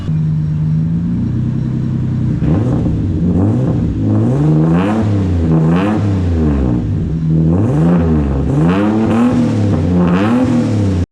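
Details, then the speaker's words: Turbo VQ35-swapped Nissan S13 with a new full exhaust, 2.5-inch oval piping into a 3-inch pipe, essentially straight pipe with a Vibrant resonator: repeated smooth revs with a deep, mellow, subdued note and no rasp or drone. The exhaust is quiet and healthy. "And as you can see, it's nice and quiet. It's literally a straight pipe, but it has a vibrant resonator."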